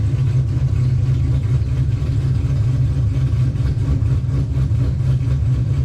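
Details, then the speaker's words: 2005 Pontiac GTO V8 at idle: deep, steady, even rumble with no knocks, misses or dips, so the motor sounds good. It slips above 4–5 mph, so the rear differential is at fault. "Yep. Motor sounds good."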